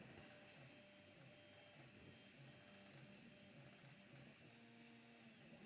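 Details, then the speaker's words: 3D printer printing: soft stepper-motor hums in short chirping tones over faint fan hiss; running quietly and normally. "What the printer sounds like? Why can't you hear it? It's actually really quiet."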